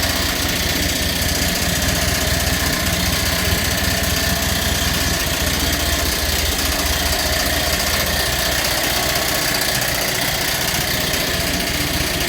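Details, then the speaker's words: Massey Ferguson TEA20 tractor, old non-runner revived: steady idle with light rhythmic ticking scrape from the fan blade catching the radiator shroud, not the water pump as first thought; water pump has slight acceptable noise. "when I said before the water pump the noise was not all the water pump it was the actual fan H in the cing on the radiator"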